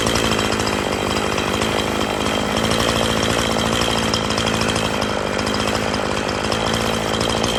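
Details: Poulan Pro 5020 chainsaw, unused for years, revived with new parts and carburetor low, high and idle adjustments (low turned out about 2.5–3 turns): steady high buzzing two-stroke at constant speed, no stumbles or surging; owner says not running its best.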